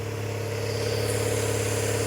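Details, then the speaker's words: Barn-find rear-engined Czechoslovak Skoda, long stored, first of the cars revived. Even idle with steady low hum and slight rise in level, no missing beats or knocking; normal idle. "Yeah. One communist Carrera fired up."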